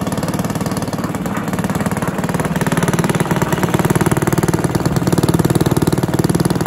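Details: Barford cement mixer with Villiers 10 petrol engine, no choke: steady even single-cylinder chuffing about three beats a second, no misses or knocks; starts easily though compression not excellent; healthy normal running.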